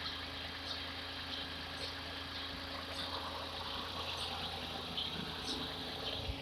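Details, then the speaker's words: Hyundai Eon petrol engine idling with air conditioning on as extra load after drive belt tension adjustment: steady idle, no squeal or chirp from belts, dog barking in background. "no unusual sound and then sounds good no squeaking noise I think we did a pretty good job"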